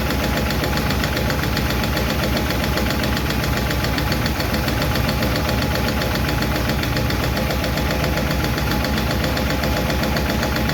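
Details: 1951 Chevy truck engine idling roughly after starting, with a fast, steady ticking a few times a second; number 4 intake and number 2 exhaust are still noisy, number 2 intake seems okay; owner plans to tweak those two valve adjustments.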